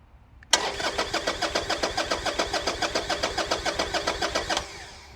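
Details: Harley-Davidson motorcycle, 3,891 miles, in neutral, security code accepted: starter spins evenly at about six pulses a second for four seconds but the engine never catches; fuel pump primes, fuel good; crank no start traced to a blown fuse.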